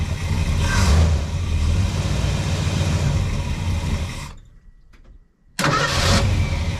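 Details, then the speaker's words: 1975 Ford Super Cab with a 460 V8, cold, after the solenoid-less starter motor was replaced because the old one cranked weakly when hot: strong, quick cranking at about four beats a second, a brief pause, then it catches; it cranks much better. "Well, I would say that is very much better. It cranks a lot better."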